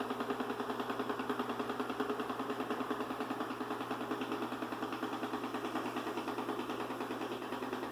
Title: Ecovacs Deebot N79S Loud Noise